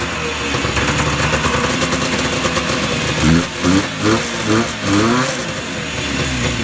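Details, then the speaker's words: Yamaha Enticer 300 two-stroke snowmobile, year unknown, 120 psi per side, restarted once fuel reached it; uneven idle then five quick throttle blips that rise and fall cleanly, revving freely, normal. "Well, that seems to work okay. Good stuff."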